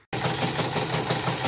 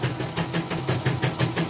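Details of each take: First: Portable CNY embroidery machine after cleaning and polishing: fast, gritty running with a coarse rattle about three times a second, rough even with a new shoe; worn, sloppy rotary hook. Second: Portable embroidery machine after rotary hook sanded smooth and pitted, damaged bobbin case replaced: even, soft rhythmic clacking about six a second, no scraping or grinding; hook runs smoothly and stitching is even.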